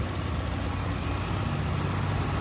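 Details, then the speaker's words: Honda Click 125 with a complaint of idle rising and falling, after the altitude setting was reset to mode 1: a steady, even low putter with no hunting or surging, and the idle now correct though slightly high, around 1700 rpm. Normal idle. "Check natin yung kanyang parameters data Tama na yung Menor"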